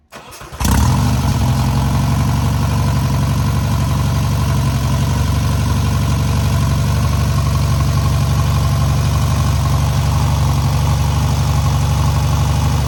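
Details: First start and break-in of newly rebuilt air-cooled VW 1600cc flat-four: catches at once, holds steady even idle, no knocks or misses; normal idle.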